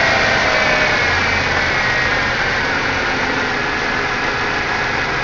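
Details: Buick Regal supercharged 3800 Series 2, about 212,000 miles, running under the hood: smooth, even, steady supercharger whir, no stumble or hunting; normal engine running.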